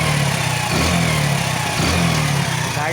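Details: Hero Passion Pro 110cc single idling steadily after a head gasket fault (smoke and popping on throttle) was repaired with new block and piston, still being run in; no popping, ticking or misfires. Normal idle.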